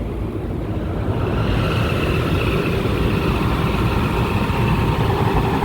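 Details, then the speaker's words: Rooftop AC with tripped breaker, recently cleaned, 133 °F discharge air: steady loud rushing run with a faint dry scraping hiss; indoor blower motor bearing running dry, motor failing. "you know what man listen can you guys hear that it sounds like a dry bearing i'm getting like a dry bearing sound from this guy"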